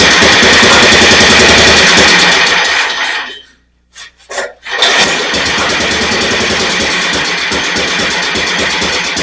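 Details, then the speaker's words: Snapper rear-engine mower, sat in a field for years, running with open carburetor and no air filter: single-cylinder races, dies away, coughs and catches again, stalling; carb adjustment couldn't fix it, running way lean. "Couldn't really get it any better. It's definitely running way lean."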